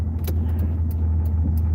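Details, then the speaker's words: Car with original U-joints rolling slowly around a parking lot: sharp ticks every half second or so over low engine rumble, drive shaft rotation seems to be hitting; owner suspects worn U-joints; driveline clicking. "like i can hear the rotation of the drive shaft kind of hitting it seems like so i think i need new units"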